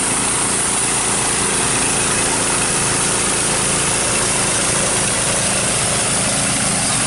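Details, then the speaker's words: Two-engine off-road go-kart: small engine held at high, steady revs with a rough drone as the centrifugal clutch slips, burning and smoking; a grinding noise under braking was also noted. "Holy crap. You're burning up the clutch. Look at the clutch! Holy crap!"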